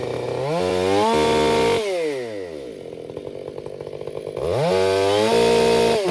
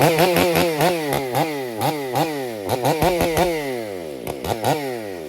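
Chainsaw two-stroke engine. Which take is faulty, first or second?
second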